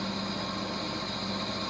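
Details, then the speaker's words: Vintage HPA wheel balancer, probably Danish, early 1960s, not bolted to the floor, running with no added weight: smooth constant hum with steady tone and light vibration, zebra indicator disc stable; spins evenly and balanced. "We do not have any extra weight in it, so it should be quite balanced. And there it goes."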